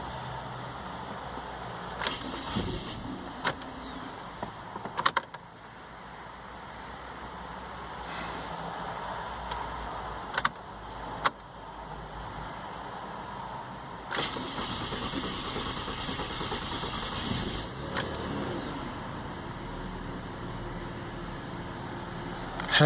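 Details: Ford Falcon with factory LPG, harsh grinding burst of a few seconds on cold cranking among scattered clicks; an intermittent issue, compared with a warm-engine start half an hour later.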